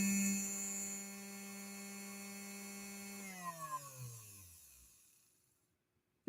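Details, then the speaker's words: Featherweight sewing machine motor, bench-tested: smooth, steady, even hum for about three seconds, then an unhurried wind-down; healthy motor. "so we're getting a good response from the motor it's firing up beautifully hopefully you can kind of hear that nice and smooth nice even running on the motor as well"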